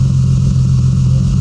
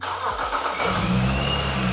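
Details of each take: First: Supercharged BMW struggling to idle: a deep exhaust drone with a regular hollow gap from one cylinder not firing. The exhaust has two separate pipes without a crossover, and the owner suspects the misfire is on one bank. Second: Supercharged BMW E46 330i manual touring that previously would not idle: it starts after a short crank and settles into a steady, smooth idle with a faint whine. Alternator reads 14 V and AFR about 15. Normal idle.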